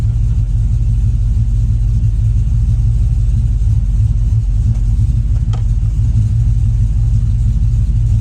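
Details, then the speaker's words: 2005 Chevrolet Silverado 1500 5.3L V8 with a Texas Speed Chopacabra cam, long-tube headers and a 3-inch exhaust, warm (coolant 181°F, closed loop), idling in gear. Deep choppy lope about three pulses a second; normal lopey idle. "Stall's loose enough that you can still hear it chopping, which is exactly what I wanted."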